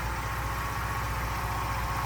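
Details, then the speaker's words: 1992 Mercedes 190E with M104 engine after fixes, having sat unused a long time. Low, even pulsing idle with a steady beat and no misses, knocks or hunting: normal idle. "აი ეხლა მართლა ისე მუშაობს ვსო"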